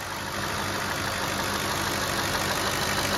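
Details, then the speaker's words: 2007 Cadillac DTS after power steering pump replacement and bleeding, about half quart fluid added, some air bubbles remaining; even idle with smooth steady hiss, no groan or whine; pump now sounds as it should, lines dry. "Hear how nice and quiet it got? Now we got to turn it again like we did before."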